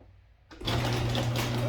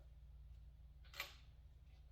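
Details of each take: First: Honda XR80 (possibly XR90) fitted with a new throttle cable, revving high on startup; carburetor to be inspected. Catches and settles straight into a fast, steady buzz without dropping back. High idle on startup. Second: Honda XR80 being kicked over after cleaning a sooty spark plug; quiet room with a few sharp, irregular snaps; spark present, ignition working; owner reports it revs high when started.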